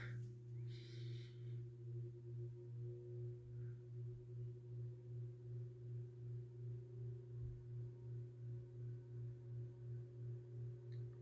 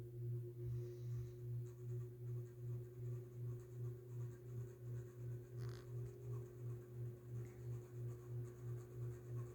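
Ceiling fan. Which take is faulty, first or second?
second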